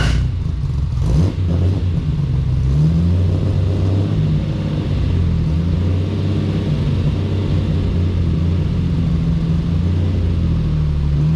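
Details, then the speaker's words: Nissan 240Z on its first drive after the build: a low, lumpy exhaust note stumbling off-beat as it pulls away, running on three cylinders until it ran out of fuel. "yeah she was um she started running on three cylinders there when I uh pulled it out of the shed"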